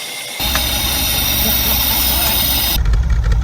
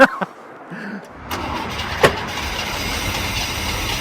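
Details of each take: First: Holden Commodore idling after sitting 10-15 years at a wrecking yard, first start: steady, even idle with no exhaust puffing or ticking; runs normally, though owner thinks it needs new spark plugs. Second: Holden Commodore, carburettor-fed, from a Cooma wrecking yard; cranks for a second, then catches on accelerator-pump fuel and runs unevenly as the throttle is worked. Hard starting.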